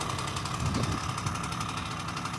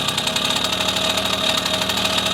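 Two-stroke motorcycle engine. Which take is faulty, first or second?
second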